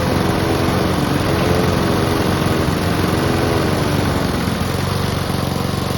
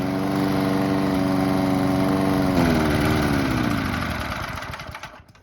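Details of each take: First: Honda and Mountfield petrol lawn mowers (Mountfield with a replacement fuel tank) running together before winterising: steady, even drone with constant low throb, no knocks or misses; running healthily. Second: Mountfield Empress 16 petrol lawn mower deliberately run until out of fuel for winter storage (footage sped up): even drone falters, pitch sags and beats unevenly, then coughs and dies; fuel starvation sputter.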